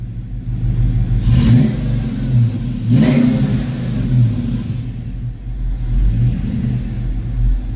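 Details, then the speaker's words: Ford Fox-body Mustang V8 after distributor swap, second start with timing only roughly set before timing gun used: uneven, lumpy idle with a couple of throttle blips, stumbling rather than settling, still running rough; ignition timing off. "still running rough"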